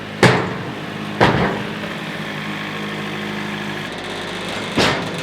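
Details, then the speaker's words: Sawmill with Joe Maine Silvertip Turbo 7 bandsaw blade cutting an 8-foot red oak log; steady engine drone broken by three sharp zipping bursts as the blade strikes embedded nail/metal, upsetting the blade set. "Every time I hit metal on a log, I would say at least 9 times out of 10, I can hear it exactly when it happens. You hear that little zip that goes on the blade, and you start hearing the set of the blade be messed up and it doesn't sound right."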